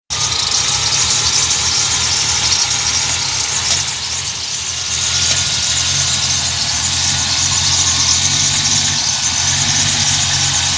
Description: My M60 3.0 V8 idles rough for 20-30sec when started cold with no throttle, runs at 400-500rpm - and maybe you can even hear 3-4 knocks, or clanks, coming from the engine.